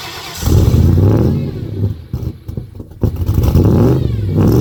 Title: 0 degrees cold start hard start #coldaf #ford #coldstart #automobile #beater